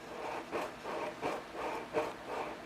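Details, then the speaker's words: Blown subwoofer, still reading correct ohms, cone pushed in and out by hand: about three scratchy rubbing strokes a second, the voice coil scraping in the gap. "can you hear that that's called the voice coil scratching all right"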